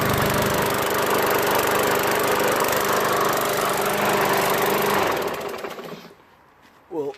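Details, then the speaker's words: Craftsman mower with Briggs & Stratton 550 engine and plastic carburetor, oil added: small single-cylinder buzzing at a fast even beat for about five seconds, then dying at shutdown; starts right up and runs smooth. "an easy flip right pick that up put some oil in it starts right up"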